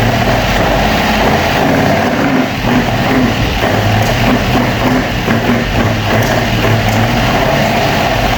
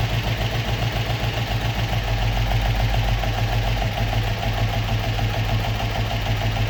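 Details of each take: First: Opel Manta hatchback with Ascona front end, first start after about 20 years sitting, camera at the front; uneven idle with a loping, stumbling beat and dropped pulses, a little missy: misfire, cause unconfirmed, points and distributor to be checked. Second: Opel Manta hatchback with Ascona front end, after about 20 years stored, still on old plugs; steady, even idle with a regular low thrum around three and a half beats a second, no stumble: normal idle.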